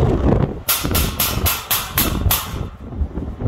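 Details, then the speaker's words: Minivan with cheap roof cargo basket: a hard door-slam thump followed by about seven tinny rattles fading within two seconds, the loose basket shaking; it does not rattle while parked or driving. "So when you slam a door, you hear it, that's it. You don't hear it when it's just sitting there. You don't hear it in the van. You don't hear it rattling ever."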